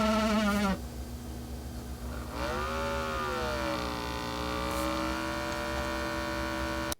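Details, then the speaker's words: KUU LeBook Pro 12.6-inch tablet laptop under load: a high, wavering screech with a low hum underneath, drifting in pitch and holding steady, from the cooling fan. The fan does not spin up at all during light web browsing. "Now it's not particularly super loud like you'd get on a gaming laptop, and indeed when you use it for browsing the web and the thermals are lower, the fan doesn't spin up at all. But once you do apply the load, the fan makes a horrendous screeching sound."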